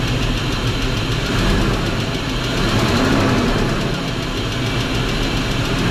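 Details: BMW X5 4.4i engine noise: an irregular deep knock riding under the idle. Owner suspects a connecting rod bearing, unconfirmed.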